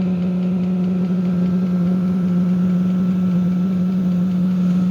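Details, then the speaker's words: 5-8 kW diesel heater first test run starting up, very strong diesel smell, heater 9°C and exhaust 13°C at start: loud, steady jet-like droning roar with even low hum; normal startup. "Yeah, this thing sounds like a damn jet engine starting up."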